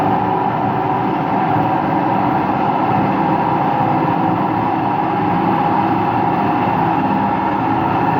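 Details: Washing machine on an empty rinse-and-spin cycle: steady, heavy roar with no rhythm through the whole spin; owner suspects both motor and drum bearings, no leak seen; spin cycle rumble.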